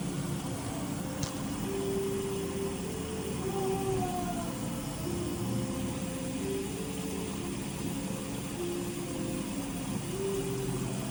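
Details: Whirlpool dishwasher after replacing the failed jet (wash) pump, test run: steady, even hum with water rushing over it, no grinding or rattle; the new wash pump runs smoothly and sounds healthy.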